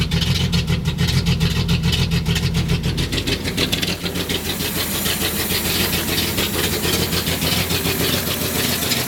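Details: 1976 Datsun 280Z inline-six idling with an uneven, loping beat and irregular stumbles; the owner says it runs rough at everything. Rough idle, cause not known.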